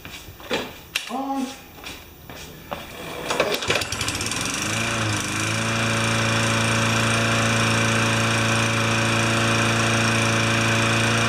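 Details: Tecumseh 4 horsepower mower engine, blade fitted and half a liter of oil added: a few pulls, then it catches near four seconds and settles into a steady, even single-cylinder drone; runs healthy.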